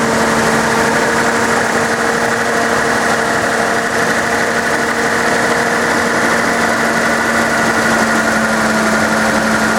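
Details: Nissan 280ZX after replacing fuel injectors: engine fires and settles into even steady idle, smooth hum, no misses, knocks or ticks; runs healthy, oil smoke from drips on headers.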